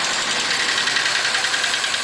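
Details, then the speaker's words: 1941 Pontiac at restart during repairs, smoother than its first start but with a thin, fast idle and an uneven beat as one cylinder drops out. A valve keeps hanging up, causing the misfire; oil pressure later reads 45–50 psi. "yeah it's got a valve that keeps hanging up I'm going to shut it"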